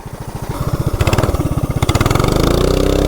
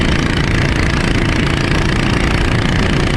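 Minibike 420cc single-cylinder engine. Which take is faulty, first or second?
first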